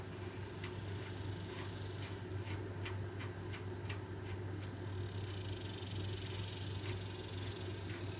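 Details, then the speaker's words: Stock trailer electric drum brake after adjusting the adjuster with channel locks and reassembling the bearings: wheel spun gives a faint swish about every half second; shoes barely brushing the drum, correct adjustment. "I don't know if y'all can hear that, but the brake's just barely touching, and that's where you want it."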